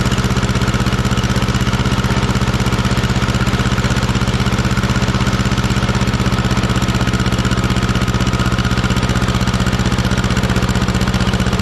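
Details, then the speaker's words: 1950s barn-find Schramm air compressor engine, carburetor adjusted after it couldn't hold rpm once the unloader kicked in, poor muffler: steady even low thump near four beats a second without misses or surging; normal running. "yeah look at that i played with the carburetor a little bit seems to be working good"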